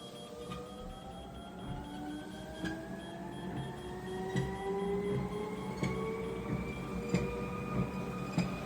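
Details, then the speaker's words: 20-year-old True Treadmill TTZ 500 HRC (bought 2005) after a running belt replacement, ramped to 5 mph for adjustment. Motor whine climbs in pitch with a light tick about every 0.75 s. The belt is riding left, off-center, and needs adjustment bolts. "it looks like it's riding a little more to the left so I'm going to use the adjustment bolts and get it to ride a little more to the right and even it out"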